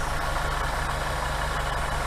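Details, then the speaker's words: 1964 Buick Riviera V8 during carburetor idle mixture adjustment, idle lowered to 800 rpm: even, steady low rumble with no misses or stumbles; it idles smoothly. "See how much smoother it is? Now I'm able to get it down to 800."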